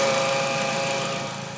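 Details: Audi/VW 1.8T at idle: a steady high whine from the engine bay that holds pitch as the engine settles. Power steering fluid was checked and topped up, but the source is still unknown.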